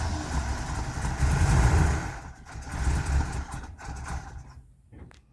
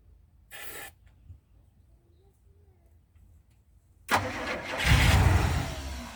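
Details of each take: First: 1985 Winnebago with 454 big-block V8 and Turbo 400, 32,700 miles, off the road nearly 17 years, fed from a bottle: deep, lumpy rumble catches and runs strongly a few seconds, then fades; it runs with oil pressure. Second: 1985 Winnebago Windsor motorhome, 454 big-block V8 with Turbo 400, 32,700 miles, sitting about 17 years: brief cranking, pause, then catches on starter fluid and fades; cranks but won't keep running, needs fuel.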